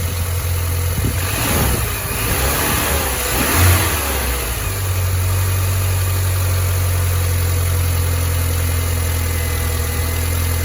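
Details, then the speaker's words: 2005 BMW Mini Cooper 1.6 after new auxiliary belt tensioner and belt, some thousand-plus miles later: starts and revs smoothly, no belt squeal beyond a split-second squeak at start; normal running, belt squeak fixed. "and no squeak at all only that slight Split Second squeak to begin with"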